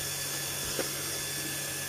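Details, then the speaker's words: New 2021 Stuart Turner Monsoon 2.0 bar universal single-head shower pump, after sealing factory leaks, final test with tank full, cold side running: steady high whirring hum with water rush, no grinding, rattle or surging. "Tank full of water, then switch on the pump. Last test coming up. Actual running of the pump."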